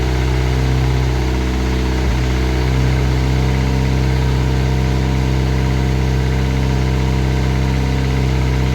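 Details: Classic Mini turbo petrol, first start, ECU on laptop with lambda sensor: steady idle with a light, uneven tapping, seemingly from the top end under the rocker cover; sounded almost like a big end; top-end knock, cause not confirmed.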